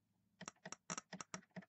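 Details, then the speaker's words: Mercury inline-6 outboard ignition bench test, switch box tested good with a known-good coil: crisp sharp snaps in quick regular pairs, about eight in under two seconds, showing a strong steady spark at the gap tester. "since we know the switch box is good and it tests out beautiful"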